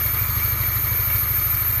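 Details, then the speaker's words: Polaris Trail Blazer 250 two-stroke ATV, bought as a non-runner: low, uneven chuffing as it turns over and won't keep running; very little compression suspected, possibly stuck rings. "Let it stall. I just feel like it doesn't have enough compression."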